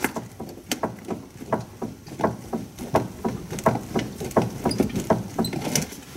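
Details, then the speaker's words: 2013 Hyundai Santa Fe, 115K miles, camera under car at left front lower control arm and strut while car bounced by hand: dull metallic clunks about 1.5 per second; caused by worn front sway bar link. "so you definitely heard the clunk i heard it you heard it now we need to figure out what it is"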